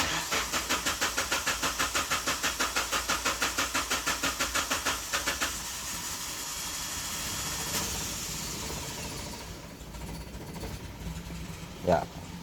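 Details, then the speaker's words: 2008 Suzuki Grand Vitara (injection) converted to LPG: long cranking at about five even strokes per second without catching, then a fading hiss; flooded with too much gas because the tap wasn't closed before shutdown. "Jadi gas tidak banyak yang keluar ya, karena ini apabila kelebihan gas juga dia akan menjadi banjir ya."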